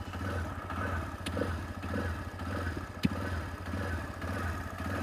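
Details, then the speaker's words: TVS Raider BS6 motorcycle, power symbol lit in eco mode, jerking, hard self-start: uneven idle swinging about 1000–2500 rpm with the throttle untouched, a stumble every half second and a sharp pop; misfire from a bad wire at the 3-in-1 sensor. "और stroke देखिए, यहाँ देखिए unstable है बिल्कुल, 1000 के पास आ रही है, 2-2,500 चले जा रही है।"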